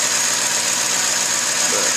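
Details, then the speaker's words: 2006 Ford F150 after replacing pulleys, tensioner and belt: steady even idle with a soft hiss, previous accessory drive whine gone and much quieter. "I'll show you now started up let you listen to how much quieter it is ended up being change that whole pull in pulley"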